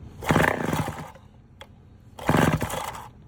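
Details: Vintage Homelite 7-19 chainsaw with low compression (about 60–70 psi) and oil sprayed into the cylinder, started on choke: two short ragged firing bursts that die within a second. Fuel starvation, no gas reaching the carburetor; fuel shut-off valve position uncertain.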